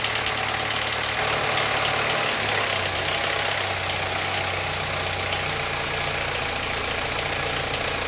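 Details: Audi A4 B8.5 1.8 Turbo EA888 petrol engine just started after a camshaft adjuster control valve swap (06L109257B/F): a busy, diesel-like timing chain clatter over a fast idle, which went away after about five miles of driving.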